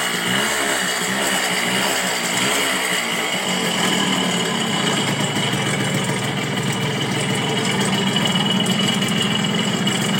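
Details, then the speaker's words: Suzuki A100 two-stroke motorcycle idling: harsh, loose rattle, "like a broken ship"; piston and crank bearings need checking, worn crankshaft bearings and scored piston suspected. "suaranya kayak kapal pecah Hai suaranya Udah kayak kapal pecah itu jadi yang harus dicek ini bagian seher untuk seher nya di cek bearing juga"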